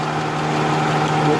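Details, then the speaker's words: Suzuki Cultus EFI idling warm while spark plug wires are pulled one at a time to find a misfire; with one cylinder not firing, the hum is uneven and shaky, and pulling the last two wires makes it vibrate more. "Engine हल्की हल्की वाइब्रेट कर रहा है, ठीक है।"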